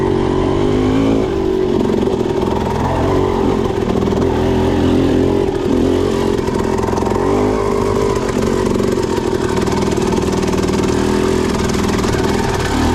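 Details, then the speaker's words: Suzuki RM250 two-stroke with Lectron Pro Series carburetor and light flywheel weight, lugging in second gear as slowly as possible: steady low-rev chugging under load, no stumbling or gargling; clean low-speed fuelling. "Alright, so I'm trying to go as slow as I can in a taller gear, second gear, to see if it will stall or gargle, and so far so good. Feels really good, no hiccups, really clean delivery, and it's just chugging along like a 4-stroke."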